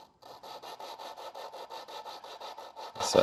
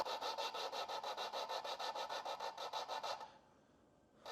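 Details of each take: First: Lapping a valve onto its seat in a big block Chevy cylinder head, compound applied, suction-cup tool, quarter turns; even gritty rasping about five strokes a second, coarse. Coarse lapping stage. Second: Lapping a valve onto its seat in a big block Chevy cylinder head with compound and suction-cup tool; steady rasping about three strokes a second, brief pause, then even lapping, sounding quieter as it seats.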